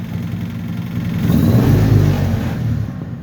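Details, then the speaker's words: Old Dodge four-wheel-drive truck, Little Red Express clone, after revival work: engine revs cleanly and settles without coughing or hesitation, running, driving and stopping fine. "there she sits and it's not running too bad now it's running it's driving it's stopping"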